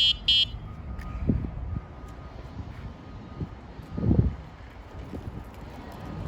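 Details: Onebot S6 16-inch folding e-bike with a 250W rear hub motor, set to speed 2: its little horn gives two quick, bright electronic beeps, then quiet outdoor background. The horn works normally.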